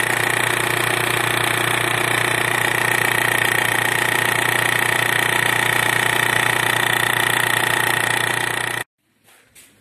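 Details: Mitsubishi L200 4D56 diesel at idle with balance shaft drive belt refitted: loud steady rhythmic knock about three a second from the balance shaft area; silent with the belt removed, cause unknown.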